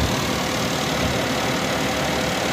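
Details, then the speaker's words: Suzuki Alto, about a 2020 model, in for no-start and dead meter lights (battery fitted reversed, no DTCs), idling with AC on, compressor clutch turning and suction line cooling: smooth even idle with steady compressor and fan hum; normal. "ये इसका clutch भी घूम रहा है और ये इसका section वाला फाइव है ये ठंडा हो रहा है"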